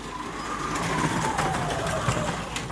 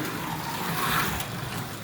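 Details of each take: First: Slot car on plastic Carrera Digital track, big curve: irregular hard clunks about every third of a second over a rushing whir as the car hops through the bend; worse in one lane, cause unknown. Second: Carrera 1:32 slot car on Artin track with Carrera digital parts: steady, even electric whir with road rumble, no clunks or catches, running smoothly.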